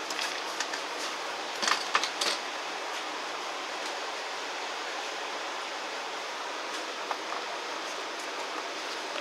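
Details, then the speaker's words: 2014 Mercedes E350, idle, vacuum gauge fitted at oil fill cap: steady airy hiss of air drawn through a small valve, showing a lot of crankcase vacuum; PCV valve/centrifuge cover suspected faulty, not confirmed. "you can hear adam air whizzing through a little valve you can hear it's like a you'll hear that i'm gonna pull this there's an indication there's a lot of vacuum"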